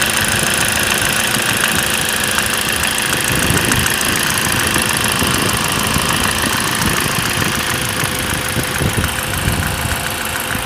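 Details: 2nd-generation Ford Focus 1.8 petrol, 125 hp, 95,000 km: light ticking knock over steady idle, loose and uneven; sometimes disappears, returns louder when parked idling. Dealer blamed the A/C clutch and removed its belt, but knock returned after 100 km.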